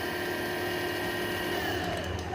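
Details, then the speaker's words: E-rickshaw BLDC hub motor spinning after the BLDC controller was repaired and phase voltages checked: a smooth, even hum with steady tones and no knocking or grinding, dropping slightly at the end. The motor runs normally. "তো যাই হোক, আমি এখন মোটরটা ঘোরাচ্ছি, দেখুন আশা করি ঘুরবে। হ্যাঁ দেখুন মোটর ঘুরছে,"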